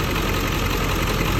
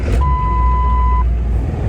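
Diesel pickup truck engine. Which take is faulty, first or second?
first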